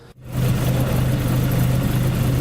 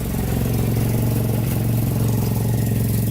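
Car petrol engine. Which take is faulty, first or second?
second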